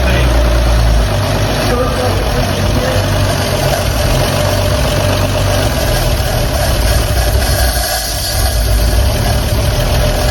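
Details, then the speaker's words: 1954 Chevrolet 3100 truck, original 235 straight-six converted to 12V, running again after being parked since 1978: deep, even idle with a smooth steady beat and no knocks or misses. Healthy idle, showing 30 lb oil pressure. "listen to that these things want to live they don't want to die I know they just want to stay alive huh engines it just wants to survive"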